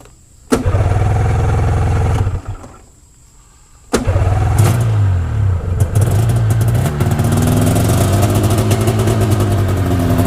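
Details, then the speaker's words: 1992 Yamaha Venture XL VT-480S snowmobile after new plugs and a carburetor adjustment, cold start after a week with choke and a little throttle: the first start dies, the second holds a steady, busy two-stroke idle with no misfire; normal. "so i'm going to start it up this is a cold start i haven't started it in about a week so i'm gonna give it a little choke here a little throttle"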